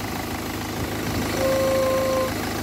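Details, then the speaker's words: Ford Focus 1.6 at idle: clear, steady trumpet-like honk of about a second from the coolant expansion (header) tank as pressure builds in it. Head gasket possibly suspected, with the EGR cooler mentioned. Combustion gas in the coolant possible but not confirmed. "Ford Focus strange noise coming from editing sounds like a trumpet possibly"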